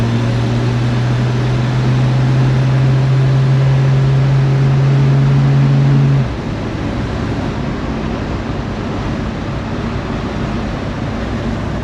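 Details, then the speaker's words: 1946 Studebaker M5 pickup on a 1970-81 Camaro front subframe with disc brakes, test drive after fitting new Performance Friction pads to replace squealing ones. Steady truck drone, then it stops well with no squeal or grinding. Quiet brakes. "it's a thousand times better no noise whatsoever it stops good"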